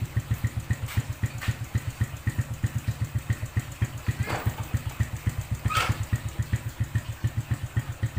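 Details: Suzuki Smash New motorcycle after the loose clutch bolt that caused a rough clutch-area noise was reinstalled: steady single-cylinder idle, even low thumps about four a second, no rough clutch rattle; back to normal.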